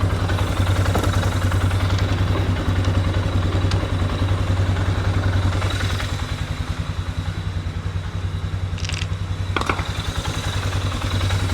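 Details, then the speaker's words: Polaris Sportsman ATV, partly reassembled after repair: steady, even low thump at idle, regular firing with no knocks or misses, sounds healthy; normal idle. "sounds good sounds healthy in part"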